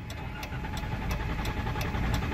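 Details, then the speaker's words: Chrysler Town and Country van that died at about 35 mph, a day after TIPM replacement: starter turns the engine steadily at about three beats a second but it never fires; crank no-start traced to powertrain module wiring harness. "I got over to the side of the road and now it's just giving me cranking so I'm gonna sit for a second it just crank crank crank won't start"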